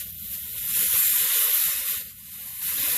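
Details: Inflating a Le Car tire on a cold day: a steady high-pitched hiss swells and dips as the chuck shifts, with air escaping around the valve until the chuck is held at the right angle.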